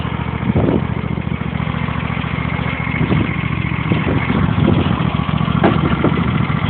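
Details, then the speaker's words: John Deere mower (T12/L111), hydrostatic drive, just cold-started after sitting since December: small single-cylinder idle with an uneven beat and occasional stumbles; sputtering idle, cause unknown, sounds fine when throttled up. "sputtering a little for some reason welome back to that uh garbage"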